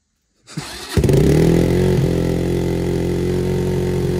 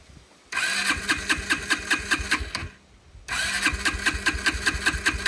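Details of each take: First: Kawasaki Brute Force 300 ATV after carburetor cleaning, which had been hard to start and would not idle: short crank on choke, catches and settles into an even single-cylinder idle about four beats a second with choke off; carb may need slight adjustment. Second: Kawasaki Brute Force 300 ATV: three long bursts of even cranking, about two and a half turns a second, no firing; won't start or idle, dirty carburetor suspected, cleaned next.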